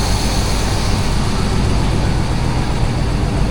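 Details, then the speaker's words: Chevy C10 truck under restoration with a 350 V8: steady, even rumble at idle with no knocks, misses or ticks. Normal healthy idle. "She sounds good."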